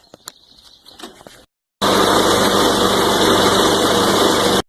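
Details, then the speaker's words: Toro Recycler Personal Pace mower with a Briggs & Stratton engine, after a clogged air filter that caused up-and-down idle was replaced: starts and holds a steady, even idle with no hunting or surging. "a video in the beginning to let you all hear what the engine sounded like before it sounds much better the items much smoother"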